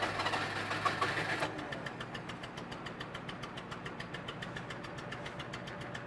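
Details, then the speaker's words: 1988 Daihatsu Hijet mini truck, stored 2 years, carbureted: starter cranks steadily, engine won't catch when restarting hot after running; owner suspects vapor lock or a carburetor fuel issue, not confirmed. "so it's almost like it gets Vapor locked or something I'm not sure I'm definitely thinking it's a fuel issue in with the carburetor or something is getting stuck just the way it's acting"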